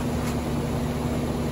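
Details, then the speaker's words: Rheem central air conditioner outdoor unit after start/run capacitor replacement: steady even low hum with faint rushing, no rattles or clicks; big line getting cold, compressor running normally. "see I can feel this line now the big line it's already getting cold so that tells me that pressure's running plus I can hear all right"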